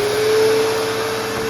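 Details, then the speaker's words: Bissell Powerforce Bagless Turbo with Clean View Helix motor: even, steady mid-pitched motor whine without rattle or grinding, with the usual squeaky wheels; vacuum motor running normally. "go [Music] so sounds pretty good so you can hear the infamous squeaky Wheels always happens on these machines"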